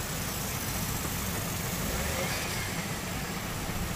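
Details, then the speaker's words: Maruti Suzuki WagonR CNG after repair: it was misfiring and wouldn't switch to CNG, CNG light blinking and pressure regulator fault code; now converts to CNG and idles with an even, steady low hum and no shaking; normal idle. "पहले बलिक हो रहा था convert नहीं हो रहा था और engine भी इतना मिसिंग हो रहा था अभी देखिए एकदम परफेक्ट हो गया"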